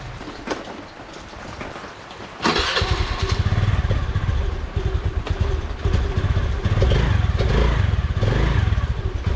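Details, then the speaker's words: Honda Dio scooter after starting-problem repair: plug cap reconnected until it clicks, engine dried after cleaning; quiet cranking, then it catches at once and settles into a steady, even putter; normal start and idle. "അപ്പൊ നമ്മുടെ വണ്ടി start ആയിട്ടുണ്ട്"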